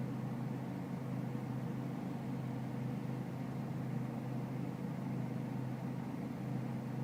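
Low diesel clatter at idle with a steady drone and slight unevenness in the beat; idle sounds rough, cause not clear.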